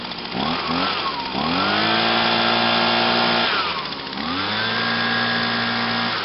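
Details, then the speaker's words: 2009 Echo PB 251 25.4cc handheld leaf blower, owned over two years and still works great, catches on the first pull after choke and about five primes, revs up and settles into a steady, even high-pitched drone; normal start and run. "oh yeah had this for more than two years still works great"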